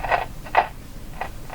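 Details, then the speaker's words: Canadian Spartan Model 5542 tube radio, third power-up after replacing a suspected capacitor for motorboating oscillation, volume high: short bursts of scratchy crackle while tuning, noisy tuning. "so the volume's up pretty high here so that scratching is not a not a serious problem here we go"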